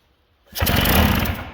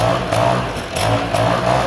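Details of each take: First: 1979 Sno-Runner snowmobile two-stroke that sat for years, with no carburetor fitted. One pull, then about a second of rough firing on fuel sprayed into the intake, which dies away. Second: 1979 Sno-Runner two-stroke, sat on a shelf for years, missing parts, on makeshift fuel line, drill-started: buzzes along on its own with steady, even beat, no knocking or misfire; runs cleanly.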